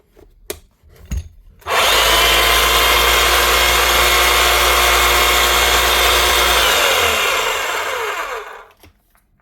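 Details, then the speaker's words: Hilti TE 500 AVR breaker with a worn, sharpened chisel stuck in it: motor winds up to a high steady whir, holds about five seconds, spins down smoothly; motor sounds healthy. "Right. She's running."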